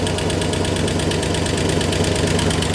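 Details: 1964 Oldsmobile 394 V8 at idle after warming, hit 200°, no radiator fan fitted, steam from lower hose: sharp, loud, fairly regular metallic knock about three per second develops; owner suspects overheating from lack of cooling, cause unconfirmed.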